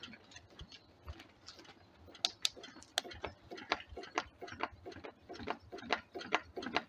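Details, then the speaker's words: DIY Stirling engine generator Mk4 fired by a rocket stove. Light knocks about twice a second, like a bouncing ball, from the natural rubber/silicone seal, which also appears to hit the swing arm. "start the first thing it's noticeable is the noise of the uh silicon seal U the natural Rubble one almost sounds like a ball bouncing also we've got a bit of a uh I think it's hitting the swing arm as well which doesn't help the situation"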